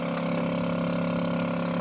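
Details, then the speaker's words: Met One E-SEQ-FRM sampler during flow check, stepping to 18.34 setpoint: pump ramps up in speed, then steady even hum with constant tone and no knocks or rattles; normal pump run. "You'll hear the pump ramp up in speed."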